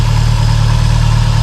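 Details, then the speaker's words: Subaru STI with cams and ABCs, updated tune, brand-new quiet Q300, before cam break-in drive: steady deep idle with a gentle lope, no misses or knocks; normal lopey idle with performance cams. "so this thing is running amazing now you can hear has a little bit of a woke to it which i'm kind of surprised with having abcs but it still has a little bit of a look"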